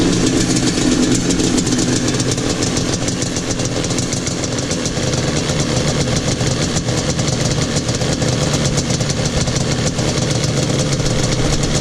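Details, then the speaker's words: Yamaha Banshee two-stroke ATV after kick start lever rebuild (new spring, ball, O-ring, screw): steady raspy, even running with no metallic rattle from the kick lever. "there we go no more rattle"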